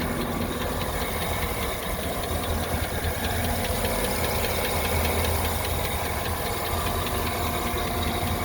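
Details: 2009 GMC Sierra 1500 Denali V8 at idle, at operating temperature with good oil pressure: light, quick ticking through the engine note.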